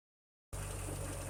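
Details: 1956 Ferguson TO35 tractor gasoline engine after draining water from the tank, sediment bowl and float bowl, earlier stumbling at idle: catches and settles into a steady, even low idle with no stumble or miss; healthy, with a suspected exhaust leak near number 4 cylinder.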